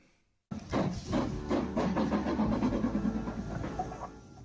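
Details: Hornby Class 37 model diesel locomotive with an old Ringfield motor running on the layout: a screeching, harsh rattling whine with uneven buzzing before repair.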